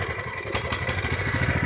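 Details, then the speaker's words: Small single-cylinder engine runs smooth and steady with the fuel shut off, but it sputters and runs terrible when the fuel is turned back on. The carburetor, which has no mixture screw, is to be replaced. "Now you can hear it running smooth, but when I turn the fuel back on, it'll run terrible again."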